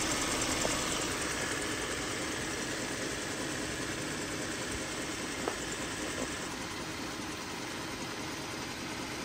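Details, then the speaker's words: Jeep Grand Cherokee 3.6L at idle: fast, fairly regular light ticking about three per second from the belt area, also heard while driving; worn belt tensioner shaking and rattling, to be replaced. "so we're going to go ahead and remove that belt tensioner just because as you saw my last clip it was shaking and rattling I do hear it when I'm driving"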